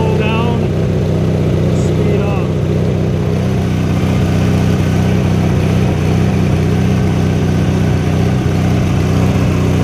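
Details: 1983 Sears Craftsman GTV/16 Varidrive garden tractor, opposed-twin 16 hp Briggs & Stratton, after replacing noisy idler pulleys and drive belts (rough flat-belt pulley suspected): steady, even engine drone, no squeal, slap or chatter; drive now smooth and quiet.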